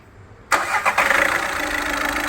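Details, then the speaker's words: VW Vento 1.6 TDI diesel with low pickup complaint, after fitting four new injectors and bleeding air: engine catches on first crank and settles into even steady idle, no miss or knock; beat now perfect. "இந்த வண்டியோட beat வந்து perfect ஆயிடுச்சு"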